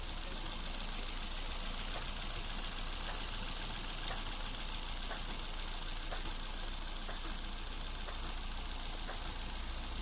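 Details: Suzuki Ertiga after engine teardown, oil-passage cleaning and oil change for rough engine noise at start: quiet, even idle under a steady hiss with only a faint soft tick about once a second; normal idle.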